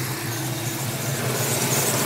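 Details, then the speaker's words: 1994 Ford Mustang, intake, cam and exhaust mods, idling: steady thin whine plus a squeak from the front belt-driven accessories; owner suspects a small pump, source unconfirmed. "i'm hearing the noise coming from the front of my engine it sounds like it's coming from the accessories"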